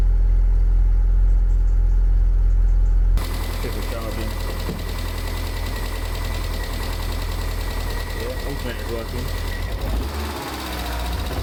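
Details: Abandoned, long-stored Land Rover Freelander, first start with fuel pump bodge-wired to 12 V and no coolant: engine catches and runs rough, regular knock about four times a second over idle; cause unknown, shut off quickly.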